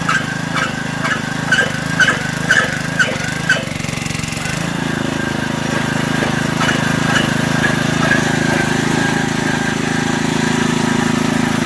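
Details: Digger Mobile 550 small-engine auger digging a hole: rough pulsing beat, then pitch sags near five seconds as the auger hits big chunks of buried debris; engine bogging under load.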